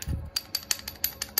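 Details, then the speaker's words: Scooter CVT roller housing worn after only about 3–4 months of use, clattering with light, sharp metallic clicks about six times a second at idle. "Jadi kalau di motor itu bunyinya Klepek itu kalau posisi hilang Sam itu bunyi gitu ya kalau posisi langsam itu begitu kayak gini bunyinya tuh"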